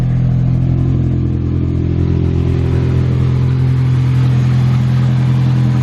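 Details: Nissan 240SX S13 SR20DET drift car, new eBay EMUSA 3-inch catback exhaust not yet fully bolted down: steady deep idle with a ragged puffing chuff and no knock. An exhaust leak from the loose joints.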